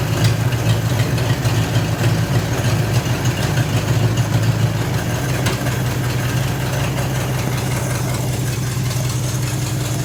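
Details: Mid-1940s Ford F5 one-ton dump truck, Flathead 8BA V8, first start in years after freeing stuck valves with penetrating oil; carburetor primed by hand (accelerator pump dead, needs rebuild). Low, steady, even V8 idle rumble, no ticking or knocking: normal idle.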